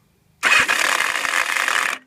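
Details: Yamaha XJ900 just reassembled, first start attempt: harsh metallic whirring rattle for about 1.5 seconds without the engine catching; cracked starter clutch slipping, requiring engine removal and split; bike ran great after rebuild.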